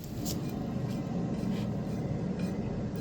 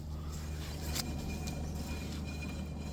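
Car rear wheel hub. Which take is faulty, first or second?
first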